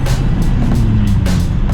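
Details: Kei car exhaust after a cracked muffler was patched with muffler weld compound, which failed after about a thousand feet of driving. Loud, raw, unmuffled low rumble: the patch has failed and the exhaust is leaking.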